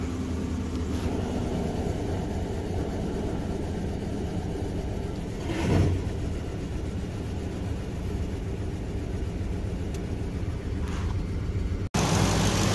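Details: 2006 Ford F-150 5.4 Triton V8 after fixing a cylinder 8 misfire, which was traced to a loose spark plug with a broken tip that had caused a tick for over a year: steady, even low idle with no tick or stumble; smooth, healthy.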